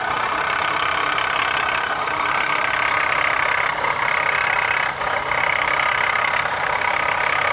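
A busy, metallic rattle at roughly three per second sits over a steady idle, with its source not yet pinned down.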